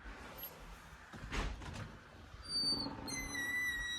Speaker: Hear that popping noise? That's the spring doing that.